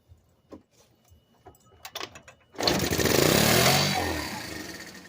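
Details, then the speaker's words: Scooter that would not start, run on starting spray sprayed into the carburetor intake with the intake boot removed: weak cranking puffs, then it catches, revs briefly and sags, pointing to fuel starvation; dirty carburetor suspected. "So here we go, guys. I think it's a dirty car."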